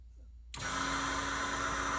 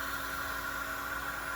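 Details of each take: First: Twin Walbro 450 high-pressure fuel pumps (274 part number), a couple of months old with about five to six weeks of run time, after fuel pressure dropped from about 58 to 43 psi: this pump gives a steady, harsh, hissy whine that sounds wrong; cause not yet found, tank coming out. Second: Twin Walbro 450 high-pressure fuel pumps (274 part number), after fuel pressure dropped from about 58 to 43 psi with popping and breaking up under load: this pump gives a steady, even electric hum with constant pitch, no surging or rattle, so it sounds normal.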